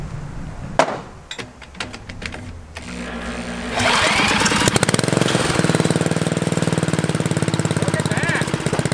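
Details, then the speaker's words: Troy-Bilt Horse rototiller bought for $10, carburetor untouched, fuel bowl drained: after some handling knocks it fires into a quick, fairly steady put-put of about four beats a second and keeps running. "well my ten dollar rototiller is running i haven't touched the carburetor i haven't touched anything"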